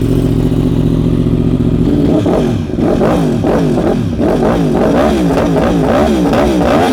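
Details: 2015 Yamaha R1M with ECU flash, 9,210 miles, largely unridden since 2019, started after about five years of storage: smooth steady idle then quick clean rev blips without clatter or misfire, described as pretty quiet; normal idle and revving.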